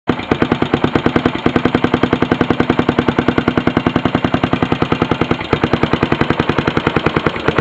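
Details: Yamaha SR500 single-cylinder at idle: hard, even, sharp metallic thumping at about three and a half beats per second. Engine knocking, cause unknown.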